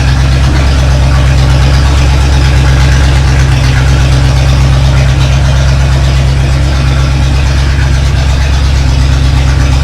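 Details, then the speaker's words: 1965 Chevy Nova wagon with rebuilt 283 V8 at first start-up idles with a deep, loud, unmuffled bark because one exhaust pipe could not be connected; exhaust leak from the disconnected pipe, exhaust shop to fix. "yeah that sounds terrible one side uncorked anyway well it's up and running at least we just got to take it to the exhaust shop they'll fix it up for me"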